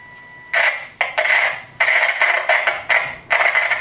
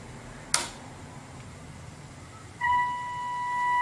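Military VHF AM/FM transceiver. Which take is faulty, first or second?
first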